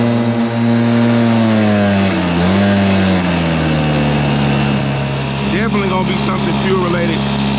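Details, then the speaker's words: Stihl BR430 two-stroke blower still bogging after a refill with fresh non-ethanol premix: the drone sags and struggles instead of climbing, then settles. Owner is checking whether a bad vent is the cause before tearing into the carburetor. "I want to crank this thing up one more time and I want to see I want to check and see if the vent's bad is that the reason why it's barging down"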